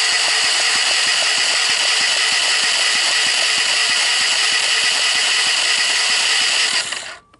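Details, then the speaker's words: 1998 Honda TRX300EX, non-starting, cranked on the starter during a compression test: fast even whir with light regular beats and no firm thumps; dry compression about 35 PSI, wet under 60; oiling intake valves restored 150 PSI. "well what is that somewhere around 35 that's a little thin"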